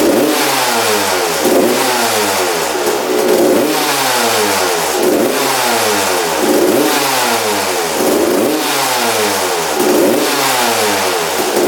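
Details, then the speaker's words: Freshly rebuilt 1993 or 1994 Suzuki RM125 two-stroke after carb returned to stock (55 pilot, air screw 1.5 turns out, needle clip refitted): crisp throttle blips that fall back cleanly with no bog, and it idles; normal revving. "yeah all right idles and everything"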